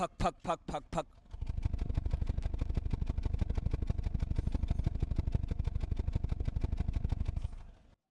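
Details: Engine with a few loud bursts from the silencer at first, then an uneven idle of about three pulses a second with a stumbling beat; misfire suspected, unconfirmed.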